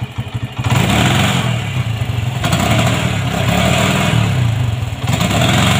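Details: Honda MegaPro modified CB-style, kick start kicks back, dies when throttled: uneven, stuttering revs that sag and surge, cutting under throttle; intermittent ignition dropout, like a bad regulator connection.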